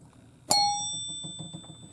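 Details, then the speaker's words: 1977 Williams Lucky Seven pinball machine chime after repair with a rubber ring holding the bar up off the metal: single strike rings bright and clear, decaying smoothly with no clack. "It's a lot brighter sound, but you want it fairly loose. It's not really held perfectly tight."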